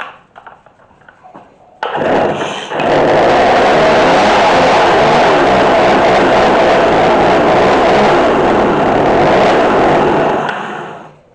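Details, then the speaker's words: McCulloch MAC3216 32cc chainsaw with 16-inch bar after repair, during carburetor adjustment: fires after a few pulls and runs raspy and buzzing, idle set too low, idle screw needs turning up. "We'll crank up that idle some more. I want to hear it idle. Then we can adjust it right."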